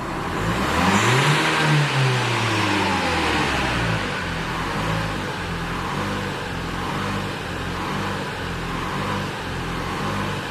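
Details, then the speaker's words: 2016 Renault Kadjar 1.5 dCi (K9K) diesel, stationary, accelerator planted: revs climb briefly then sag and labour with a heavy drone; airflow reads 470 against an 800 reference. Restricted intake airflow from a reversed air filter after a service. "As you can see, it's now labouring on. Estimated airflow should be 800. Sorry, the airflow reference should be 800. We've got airflow reading of 470."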